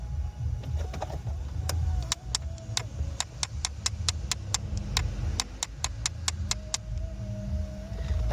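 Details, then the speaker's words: Vauxhall Vectra, ignition on: faulty recirculation flap operation switch/actuator behind the glove box clicks sharply and fairly regularly, about four a second; fix is replacing the switch. "so what I'm gonna do now is flick the ignition switch on and you will be able to see that switch clicking in a minute"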